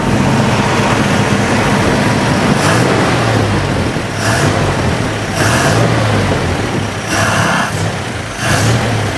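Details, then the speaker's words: Jeepster Commando after Rochester carburetor rebuild: fires quickly and runs steady and even with a smooth low rumble and light throttle blips, no misfire; fuel leaking from the carburetor top, float suspected not shutting off. "I fired up pretty quick and it sounds like it's running really, really good."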